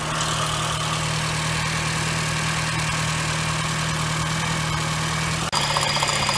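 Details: 2007 Honda Fit started cold, at idle: uneven, rattly knock riding over the steady engine hum, first suspected rod knock or piston slap, caused by a worn AC compressor pulley bearing (replaced with NSK 35BD219DUM).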